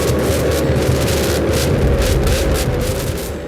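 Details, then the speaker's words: Opel Blazer four-cylinder with a rusted, broken exhaust pipe, temporarily wired up: loud raw throbbing unmuffled roar with deep pulsing rumble, like a bike with its exhaust removed; later patched with sheet metal. "Memang suaranya kemarin benar-benar kayak lagi kampanye gitu, motor-motor yang dilepas knalpotnya gitu."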